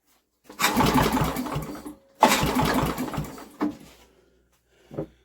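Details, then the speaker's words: Old Briggs and Stratton generator with a new carburetor, choke on: two long pulls of fast, chuffing cranking that never catch, only a pop; the spark plug comes out a bit damp. It cranks but won't start. "nothing look we got nothing apart from a pop why is it not going"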